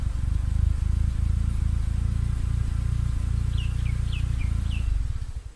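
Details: Mitsubishi Lancer EX turbo running poorly: low, lumpy exhaust note with uneven pulses and stumbles as it revs, birds in background. Misfire, cause unknown despite new plugs, leads, coil, cap, rotor and MAF, a swapped ECU, and coolant and intake-air temp sensors in spec.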